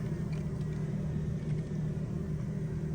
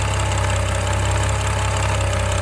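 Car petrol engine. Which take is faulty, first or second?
second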